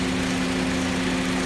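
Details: Honda with 70 psi high and low side but compressor clutch not engaging, fixed by reseating a tight-fitting relay: steady engine idle with a constant low hum on top as the compressor engages and runs smoothly; AC compressor running normally, lines turning cold.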